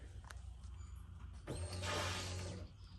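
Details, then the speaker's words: Ford BF XR6 with swapped Barra engine, first start attempt: quiet then loud whirring buzz about a second, dying away; noisy fuel pump, suspected air or low fuel with car angled. "an awful noise coming from the fuel pump it's it sounds like there's air in there"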